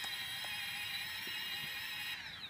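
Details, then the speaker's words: Quadcopter with Afro Slim ESCs (SimonK and BLHeli firmware), high-pitched multi-tone motor whine with slight wavering; the two right motors oscillate, gone when motor four is disabled. "basically the two right Motors are the ones that have the oscillation let me just demonstrate that maybe you can hear"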